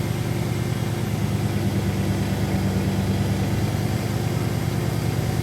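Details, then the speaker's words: 2001 Dodge Dakota 4.7L V8, restarted without touching the gas after idle air control valve cleaning, 73°F outside. Steady idle holds a raised speed without hunting, higher than earlier; high idle, cause unknown, owner suspects it may need driving. "well well i'm happy i cleaned the darn thing a little thoroughly but i don't know why it's revving so high earlier it was revving lower"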